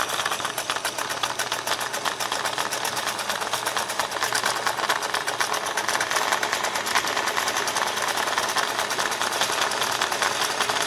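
Fast dry rattling clatter with an uneven, loose edge that never settles into a clean hum; the machine runs rough, cause not yet known.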